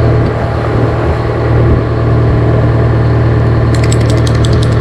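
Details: GM 4-71 two-stroke supercharged diesel, about 160 HP, probably 50–60 years old, Frick sawmill engine, warming up unloaded before a secondary fuel filter change: deep, even drumming idle with a steady low beat, no knocks or rattles; normal idle.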